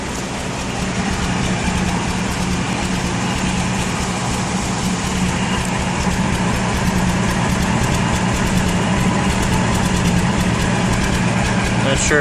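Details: Ford 200 inline-six idling with new plugs, wires, coil, distributor, cap and rotor: uneven lumpy idle with an irregular stumble about three times a second; misfire, owner suspects a sticking valve or valves.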